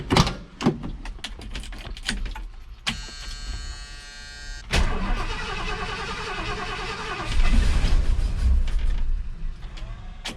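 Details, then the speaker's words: 1978 Ford F100 with Holley carburettor, restarted after reassembly with cheap parts and new cap: long cranking, stumbling catch, then uneven lumpy running that won't settle; hard start and heavy misfire, pickup coil suspected. "she's definitely not happy ain't never going to work oh yeah we got a heavy misfire that does not sound good at all"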